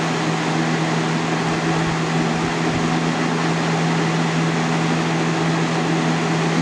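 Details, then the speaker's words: 2000-01 GE box fan model 106620 running on high: steady motor hum and airy rush, speed sagging then picking back up; owner hesitates to blame a bad capacitor, cause unconfirmed. "And another thing with this fan too, the fan slows down a little bit, but then it revs up."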